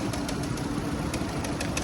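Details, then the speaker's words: Older Nissan Sentra petrol engine idling with cylinder 4 fully unplugged: uneven, lumpy beat with a stumble from the dead cylinder; single-cylinder misfire, coil to be swapped to test. "You can see number 4 ain't doing nothing. He's got it completely unplugged."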